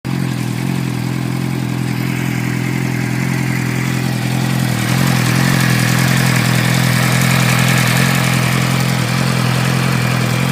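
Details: 2006 Suzuki GSX-R600 at idle and light revs with a faint, fairly regular ticking over the engine hum; owner doesn't know the cause.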